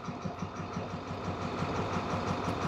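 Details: 2014 International MaxxForce diesel, check engine light on, won't exceed 20 mph, transmission and engine codes; idle clatter with uneven stumbling beat that skips. Cylinder cutout test made no difference; injectors not activating; misfire suspected, possibly injectors, unconfirmed.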